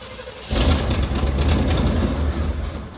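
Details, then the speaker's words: Square-body Chevy C-10 salvage-yard truck on its first start: the engine flares and keeps revving high and unsteady instead of settling because the choke keeps opening wide; a vacuum-port problem is suspected, and it needs to warm up. "See, this choke keeps opening up. It shouldn't open up when we're first starting it that much."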